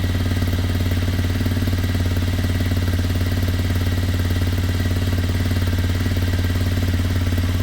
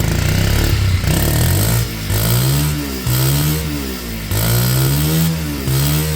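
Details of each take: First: Kymco Zing 125 scooter running rough at low idle, uneven pulsing beat about three times a second, possibly lean; ran much happier with a hand over the air intake; running issues later sorted. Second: Kymco Zing 125 after its running issues were sorted, before MOT: small single revs pick up crisply and drop back smoothly in repeated blips. Normal revving.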